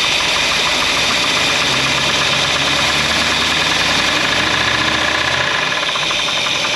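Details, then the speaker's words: 1964 Buick Electra 225, fire-damaged, running after revival: light quick tapping about three a second over steady idle despite strong oil pressure; top-end tick, cause not pinned down. "well we've definitely got some noise although we have really good oil pressure everything seemed to be okay there is just a a little bit of a tapy tap"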